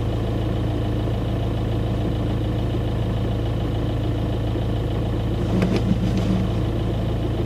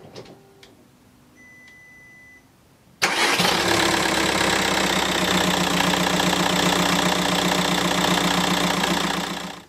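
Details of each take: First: 2009 Audi A3 1.9 TDI with 167,000 miles idling in neutral, clutch released: coarse continuous low rattle from under the car, which stops with the clutch pressed; worn dual mass flywheel, replaced with clutch to fix. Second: 2009 Audi A3 1.9 TDI Sportback, 167,000 miles, after replacing the failed dual-mass flywheel and the worn clutch: the engine cranks, catches and settles into an even diesel idle with no rattle; the earlier idle rattle from underneath is gone.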